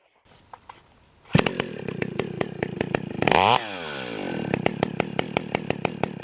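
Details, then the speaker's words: Stihl 028 AVEQ chainsaw with the low-speed carburetor screw turned out about half a turn: starts, blips throttle, then a slow lumpy popping idle from too rich a mixture. "happens okay you can hear how the idle has drastically changed and uh that's that's okay you know we can fix that"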